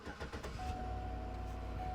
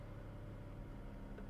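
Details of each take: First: Chevrolet Suburban/Tahoe-type trade-in at auction, about 88,000 miles: short crank, fires and settles into smooth even idle with faint steady accessory whine; warning light cleared immediately. Normal start and idle. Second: Used car at public auction, about 139,000 miles, no check engine light: low uneven idle with slightly lumpy unsteady beat; rough idle, cause not yet known.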